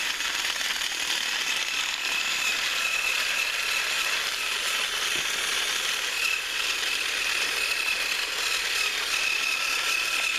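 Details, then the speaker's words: Thrift-store HiT Toys TrackMaster Percy after cleaning and motor repair, pulling two freight cars around the track: even high-pitched gear whir with light ratcheting chatter at constant pace, no stalls. Normal running. "He was able to pull a couple trucks around a few laps, nothing too extreme, but he did seem to do it quite well. The noises that we heard during testing didn't seem to be too bad."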